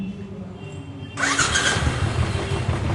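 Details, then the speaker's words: Royal Enfield Classic 500 (Desert Storm) electric start: harsh rattling grind as the single-cylinder engine cranks and catches, attributed to the starter one-way clutch bearing. "তো এইটার সমস্যাটা হলো self মারলে একটা বাজে টাইপের আওয়াজ করে।"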